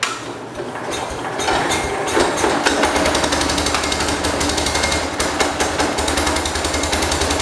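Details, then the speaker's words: 1969 Cub Cadet 105 garden tractor with fuel now in the tank, cranked from an external supply: labored, uneven chugging about three to four beats a second with harsh clatter, dragging because the supply voltage had been turned down. "Oh, I know why I quit. I turned the voltage down, that's why. Yeah, see, I turned down the voltage. It wasn't getting enough voltage to go."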